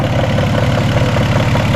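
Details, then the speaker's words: VW Jetta Mk3 warm idle after 10–12 minutes of running: a light, regular tapping in time with the engine, heard from the top end. Upper timing cover and valve cover are still to be checked. "Alright, car has been running for a good 10-12 minutes and we still have a knock."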